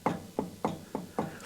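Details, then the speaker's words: Harley-Davidson Electra Glide Ultra Limited, rear wheel jacked off the ground and rocked side to side: six distinct clunks about three a second, visible play between disc and ABS drive at the axle; worn rear wheel bearings. "It's that movement side to side. There it is. Oh my goodness. Listen to that."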